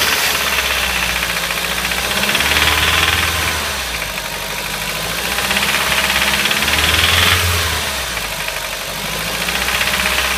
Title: strange ticking noise - Audi TT Quattro 225 2003 1.8T